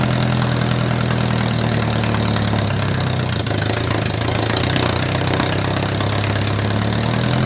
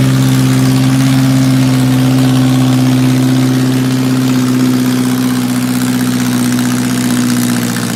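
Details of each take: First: 1978 MG with 1.6L Miata engine in a cold garage, after idle air control valve delete to fix a vacuum leak. Steady, slightly fast cold idle, even low rumble, no misses or knocks; running smoothly. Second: 1978 MG with swapped 1.6L Mazda Miata engine, newly running, before idle air control valve removal; owner has vacuum leak issues. Low drone with an uneven, wavering beat and drifting pitch; rough running, cause suspected, not confirmed.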